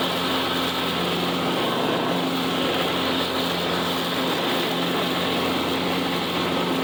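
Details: $25 Craftsman riding mower, refurbished with new belt and deck reinstalled: steady, even small-engine drone at constant speed with no misses, knocks or surging; normal running, healthy.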